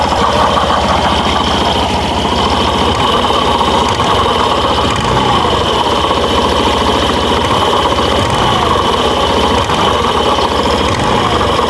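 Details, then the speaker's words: Burgman Street scooter with the CVT cover off, throttle revved: a dense, rough grinding, as if something is being sawn, near the torque drive rides over the engine; CVT torque drive grinding. "So nanditong banda po ang kanyang ingay. Ayan. So ayan lumabas na siya. So o na umiingay na siya mga boss."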